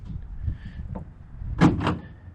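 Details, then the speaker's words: Chevy Silverado tailgate latch actuator gives two sharp quick clicks when the button is pressed with the tailgate already open; tailgate randomly opens itself, suspected failing switch assembly or actuators. "the owner of this truck he says that uh sometimes you can hear even once it's open you'll hear the actuator in fact I can simulate that by hitting the button"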